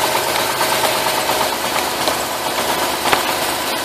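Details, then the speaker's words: 2005 Dodge Caravan with P0300 random misfire: rough, uneven idle with a faint skipping beat; pulling this lead changes nothing, a dead cylinder; misfire traced to the coil serving cylinders 2 and 5. "it is that's a dead one [Music] you know that it's missing"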